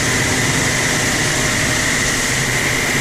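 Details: Landa VHP propane-fired hot-water pressure washer (5 gallons per minute, 3000 psi) after repair of shutting off and no heat: a steady, even roar with a constant high tone, the burner firing normally.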